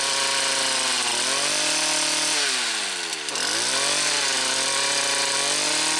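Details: Stihl Kombi KM 56 RC two-stroke, after spark arrester service for bogging at full revs, not fully warmed up: high buzzing revs dip and climb back cleanly but waver slightly, still a little rough, though a big improvement over before.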